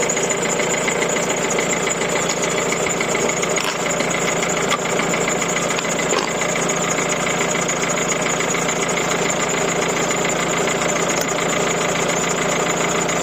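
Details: 1.6 HDi diesel after fixing a starter motor fuse problem that caused a no-start with ignition on: steady diesel idle with an even clatter, no stumbling or misses; engine starts and runs normally.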